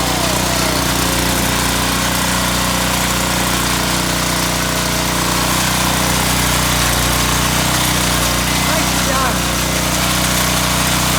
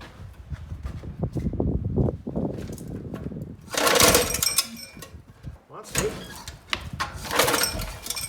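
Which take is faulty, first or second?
second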